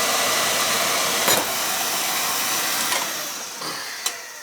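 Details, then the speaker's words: Oil burner no-heat call back: steady, even roar of flame and fan with a few light clicks; good oil flow and spark, burner firing and holding; old control suspected as cause. "we're getting a good oil fall there so yeah that's not an issue getting good spark there's here but that's not an issue"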